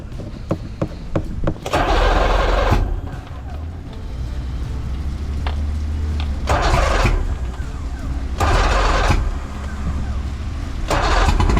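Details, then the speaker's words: Outboard on a used boat bought in Miami, started after separating the fuel filter, reassembling the engine and priming with the bulb: it catches after a few tries and settles into a steady low drone with periodic splashy surges, running on its own. "I'm gonna use the priming bulb and get some gas in there, and then start it up and see if I did a good job or not."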